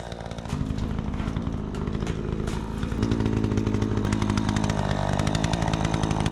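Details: Troy-Bilt 20-inch two-stroke chainsaw, bought new, after carburetor adjustment: holds strong steady revs through the cut without bogging or stumbling; cuts better than ever, owner may tune for a bit more RPM; normal running under load.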